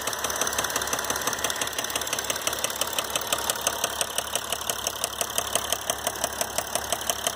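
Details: 2012 Mercedes GL350 diesel, 125k miles: sharp metallic tick about three beats a second over diesel clatter at idle, caused by a failed rod bearing.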